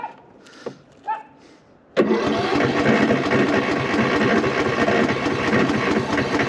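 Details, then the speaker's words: Cub Cadet lawn tractor that was very hard to start; battery reads 12.17 V, terminals corroded, fuel on, brake set. The starter churns steadily and fast but the engine never catches. Owner suspects the battery and corroded terminals. "cranks cranked a little bit and on this is all corroded I got to clean that up"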